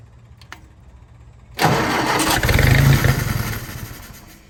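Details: Willys-powered 120/240V 52 A Army skid generator on fresh fuel with electric fuel pump: after a pause catches suddenly, settles to steady low chugging then eases off; hard starting, runs only with choke held on, carburetor rebuild needed.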